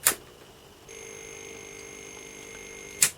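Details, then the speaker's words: Early Atari ST after a motherboard recap: sharp click, a thin high steady tone for two seconds, another click. The keyboard click is now audible where it was silent before; one replaced capacitor is suspected as the fault. "It's interesting. We've got a difference now. Did you hear that? We can hear the keyboard. We couldn't hear the keyboard before. So, one of those caps was a problem."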